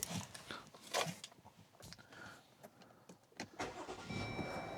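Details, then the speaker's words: 2021 Chrysler Pacifica after replacing the MAP sensor (P0108 code, rough idle, limp mode): a short crank catches quickly and settles into a quiet, even idle with no stumbling; normal start, fewer warning lights. "started just fine. I'm not seeing as many lights. That's good news."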